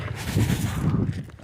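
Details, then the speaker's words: 2007–2014 Chevy truck/SUV, over 150,000 miles, stalling, hard starting, not taking fuel at pump: removed evap canister bumped by hand gives dry sandy rattle, gas-saturated charcoal falling out into lines and tank; canister broken internally. "a bad charcoal canister. Sounds like sand. See it falling out. Just saturated with gas."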